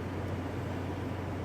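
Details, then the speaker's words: Car at auction with 149,000 miles: starts right up; a low, even hum with no knocks, misses or rattles just after startup. Normal idle. "Radio works. Starts right up and sounds good."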